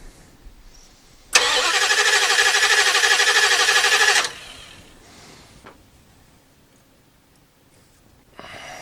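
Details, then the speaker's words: 1989 Dodge D200 on its first start attempt after repairs to set the timing, with the gas pedal pumped first: steady, even cranking at about three turns a second and the engine never catches; it cranks but won't start. "okay give it one more pump of gas one more pump one more pump okay just cranking"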